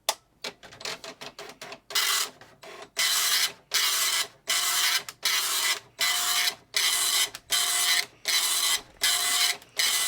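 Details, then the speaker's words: Epson FX-80 dot matrix printer from spring 1983, after refurb, ribbon and paper loaded, self-test started by holding line feed at power-on: rhythmic buzzy print-head bursts about once a second with line-feed pauses, printing cleanly. "if you hold the line feed down while you turn it on it will do a self-test and a print so let's try that"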